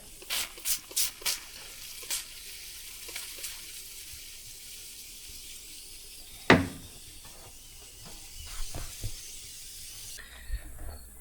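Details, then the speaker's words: Sun Tracker pontoon fishing/party barge that took on over 100 gallons of water: faint irregular fizzing and crackling of soap bubbles as air escapes through cracked, breaking welds on the back of the pontoon; a larger leak on the other side remains unfound. "There is obviously a big leak on the other side that I can't find, but we know that this side has a leak around the welds on the back that are breaking."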